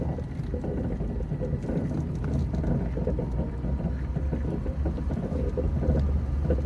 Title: Hollow Metallic Banging Thumping Sound HB2